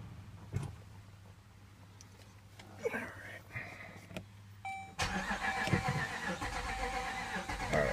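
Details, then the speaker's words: Jeep with a nearly dead battery, previously started with a remote battery, cranked from the driver's seat: the starter turns over steadily at about three and a half turns a second but the engine never catches, a crank, no start. "And that's what I get. It wants to, but it won't."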